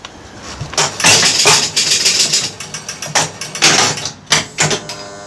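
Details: Gottlieb pinball score reels after the reset motor switch 1A, which was gapped too wide and giving erratic resets, was adjusted: quick bursts of rattling clicks as all four reels step back to zero, each burst clean and complete; reset working properly.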